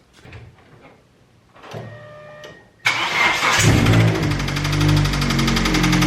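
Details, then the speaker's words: 2G Mitsubishi Eclipse engine, valve cover off: slow cranking, then it fires and runs with a steady knock about four per second under the idle; diagnosed as rod knock, not the lifter first suspected. "so that's right ladies and gentlemen the eclipse has broad knock which is not what i originally thought"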